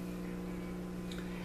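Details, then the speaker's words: Motorola 56CC2 tube clock radio on a variac at about 90–100 V drawing about 0.02 A: only a faint steady low mains hum with no audio. The 12BA6 filament is not lighting. "Alright, I can hear it now, it's humming. So it's not using very much current."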